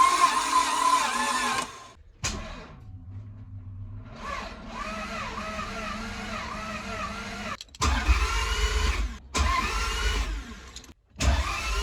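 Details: Budget Toyota MR2 after a manual conversion, first start attempt: steady starter cranking at about three beats a second in short bursts, never catching; crank-no-start. Cause unconfirmed, timing and engine ground to be checked.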